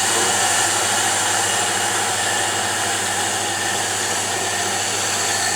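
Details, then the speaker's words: Diamond grinding wheel with earlier runout on its face, being dressed against an oil stone with kerosene: a smooth, unbroken cutting hiss with no intermittent chatter, so the wheel now runs true. "you can hear it not cutting intermittently now it's already running true"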